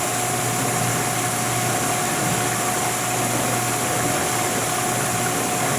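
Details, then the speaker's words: 1991 GE Potscrubber dishwasher, first full load, pumping with heating coil off, water warm: steady even pump hum with water swish, no grinding or rattling; normal pump operation, sounds great and quieter with dishes loaded. "this thing is sounding great and here's where we are with uh just pumping with no coil"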